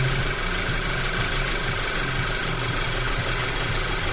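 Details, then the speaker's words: Audi A4 2.0 TSI with the check-engine light on, starting very hard and shaking, stalling when put in gear; lumpy, uneven idle with a low shaking pulse that stumbles irregularly. Stored codes show many misfires on cylinders 1 and 3, with a black spark plug on cylinder 3. "Сідаємо за кермо запускаємо двигун запускається дуже тяжко Check engengine у нас горить і ось так от працює у нас"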